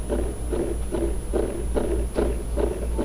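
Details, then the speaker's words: Orion DPL xx16G telescope azimuth slew motor at slew rate 2: motor hum with a regular pop once per revolution, about every half second, physically jolting the motor; slew motor skipping every revolution, also popping at rates 1, 3 and 4. "does one revolution and then it does the weird skip thing and then one revolution skip one revolution skip so again we're on rate number two you can hear it and actually when it skips it's it's physically causing the motor to jump"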